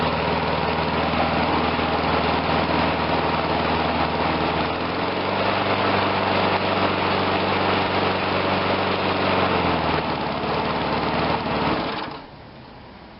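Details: Murray 22-inch push mower, Briggs engine, after carb rebuild: steady, even drone with constant beat, no misses or surging, then shuts off; runs cleanly.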